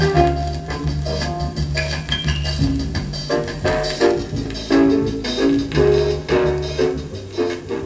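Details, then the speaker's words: Vintage 1960s Newcomb 1625M tube record player/PA amplifier with large built-in speaker, 16–78 RPM turntable, donated unit: swing music plays rough, muddy and fuzzy, just louder; distorted playback, stylus suspected, to be checked under microscope. "Nah, it still sounds like dog shit. It can just do it at a louder volume."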